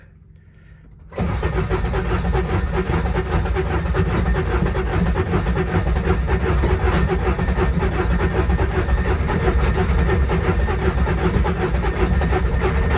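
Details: Intimidator diesel UTV hard start, glow plug switch held over 3 seconds and given gas: starter spins with a rough, even whir for over ten seconds, never catching; starter Bendix slipping; owner also suspects glow plugs not working.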